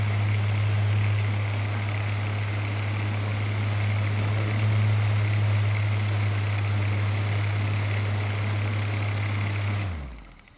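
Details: Floor fan after cleaning, moving more freely: steady low hum with an even blade whoosh, smooth and unchanging until switched off; runs normally, though the owner may still oil the motor.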